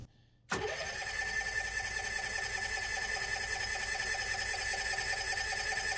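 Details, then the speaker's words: Carbureted Kohler generator on a 34' Sea Ray Sundancer, cold day during winterizing: starter spins steadily for several seconds but it never fires; finicky on cold start, choke suspected not working or misadjusted. "Alright, so generator's not starting."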